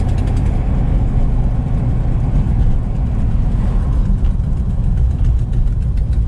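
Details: V8: heavy, uneven low rumble with a faint rapid puffing tick on top, the tractor-like chuff of a leaking exhaust header gasket.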